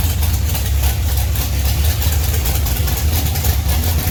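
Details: 1971 Dodge Duster racecar, 528 big-block Mopar on alcohol with Powerglide, started after sitting three years: loud, deep lumpy rumble holding a steady idle with no knocks or misfires; normal idle.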